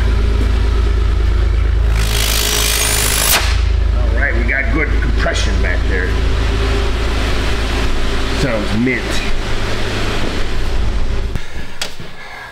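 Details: 2004 Jeep Grand Cherokee after new muffler and tailpipe fitted: deep, even idle with one throttle blip and no knocking or puffing from the back; exhaust sounds sealed and healthy.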